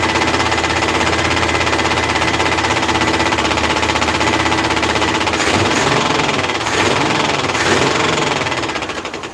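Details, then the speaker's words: Pontiac Firebird running cold, needing throttle until warm, with oil in the engine: a fast, uneven light knock, about four a second, over the exhaust; the fan is hitting the shroud after the bent core support was straightened. "Yeah, it has oil, everybody. It's the fan hitting the shroud. How many times do I have to explain that?"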